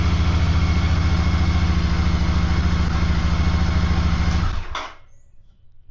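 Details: Royal Enfield (Hunter 350 or Super Meteor 650) started after three months unused, once taken out of gear, side stand down: even, steady thump about three and a half beats a second with no misses or knocks, then a clean shutoff; normal idle.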